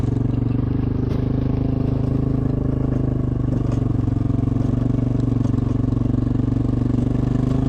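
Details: Caterpillar 307SSR excavator after an overheating fix, working under load building a road; steady deep diesel drone with an even beat and no knocks or misses, water temperature not rising, engine running healthy.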